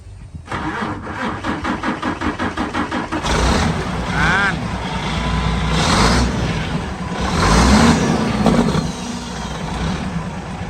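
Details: Diesel machine started after sitting for several months; it first failed on a loose battery terminal and low power, and the battery was replaced. Strong, even cranking at about three beats a second, then it catches and settles into a steady diesel idle: starting normally.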